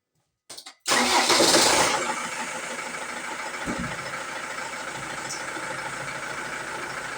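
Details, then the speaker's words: Ford Transit Mk7 2.2 TDCi work van, no check engine light: starter cranks briefly, engine catches with a loud flare, then idles unevenly and stalls right away; crank sensor, filter, EGR valve, air sensors and fuel parts already replaced; owner suspects the pump. "So, let's see from inside here. It's not a check engine light or something. It's just normal and starts. And now we stalls."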